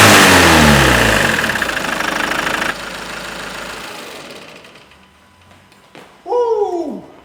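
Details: Ford Mondeo Mk5 2.0 diesel after cutting out and not restarting due to broken high-pressure fuel pump shaft; after pump repair and third fuel prime it fires, revs hard, then settles smooth with no knock or misfire; normal idle.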